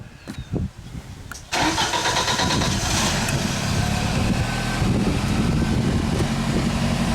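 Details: 1995 Genie Z-45 boom lift engine, previously stalling and running badly, after repairs including hacked controls: cranks briefly, starts cleanly and runs steadily for several seconds without stalling or hunting.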